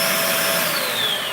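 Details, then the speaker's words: Shark vacuum switched on during repair troubleshooting: steady, smooth motor whine easing slightly in pitch, with no rattle, grind or squeal and none of the earlier problem sound. Normal suction, no abnormal noise. "Plug it in. Right. Turn it on. You don't hear that sound."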